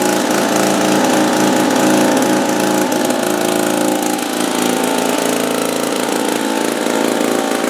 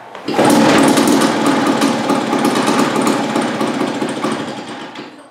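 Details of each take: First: 1950s two-stroke lawn mower, apparently Wheel Horse (Dunlap name, horse head on the engine), first run after 10 years hanging on a wall. A small two-stroke popping at a fast, slightly uneven rate with a raspy buzz; running fine, normal. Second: 1950s two-stroke lawn mower, apparently made by Wheel Horse (Dunlap name, horse head on the engine), on its first start after hanging on a wall for 10 years. Rough, uneven popping that fires irregularly and fades out; catching but sputtering, not yet running on its own.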